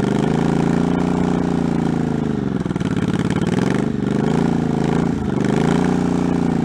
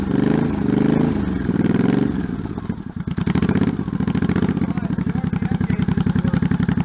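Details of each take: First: 1984 Honda Shadow VT700C, first start after 7 years sitting and a full rebuild incl. carburetors, started with starting fluid: V-twin fires and keeps running, revs sagging and recovering unevenly; catching but needing tuning, tachometer not working. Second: 1984 Honda Shadow VT700c V-twin, first startup after sitting over 7 years, carbs and fuel lines rebuilt, main tank off, started with starting fluid; a couple of throttle blips then lumpy but steady idle about four beats a second; the engine runs.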